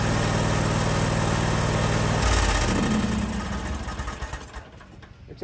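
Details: John Deere X320 mower after ignition switch replacement (part HDK445), previously wouldn't start: engine catches and runs at steady, even beat for a couple of seconds before winding down; normal start and run.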